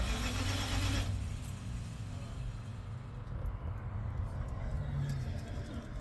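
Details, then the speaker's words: 1970 Dodge D100 with Edelbrock 750 carburettor and a resealed Holley Street Dominator intake: steady starter churning at three to four turns a second with no firing; owner suspects something isn't getting power, checking at the coil. "first it was the intake I resealed it it was running a little bit better then I tried to crank it up again and now it's not"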